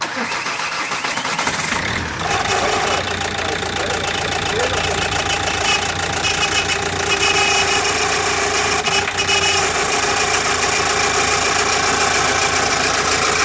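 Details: Engine that ran out of oil from a broken oil pump and was driven until it stopped: fires up and runs with harsh, uneven metallic knocking that never settles; engine seized from lack of oil.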